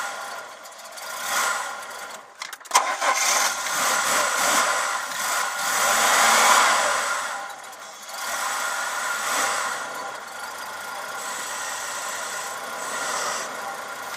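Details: 1994 Ford Fairmont (ED) cold start: cranks, catches roughly, then needs repeated throttle blips to keep running, revs surging and sagging; hard cold start, cause unknown.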